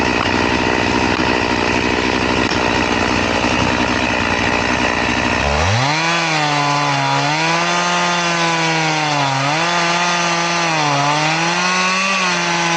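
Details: Chain filed to a 10-degree angle, crosscutting wood: a long, labouring rasp as the saw chews slowly through, then free revving. It cuts smoothly but very slowly, so it is not recommended.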